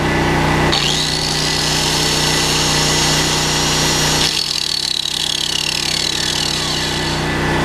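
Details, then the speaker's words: Smarter Tools STGP-3500EB 3500 W generator, 196cc 6.5 HP air-cooled OHV engine, first start, when a 600 W load comes on: even drone holds pitch with no surging or sagging, frequency steady; governing well under load. "Boy, it doesn't even speed it up or slow it down. Look at the frequency."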